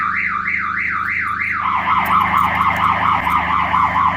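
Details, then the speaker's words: 1990 Toyota Supra MK3 no-start despite new starter, starter relay, plugs and coil wires: aftermarket alarm siren warbling about two sweeps a second, then a faster lower warble when wiring is connected; owner suspects the alarm system blocks starting. "if I go to put my wiring here it starts beeping right"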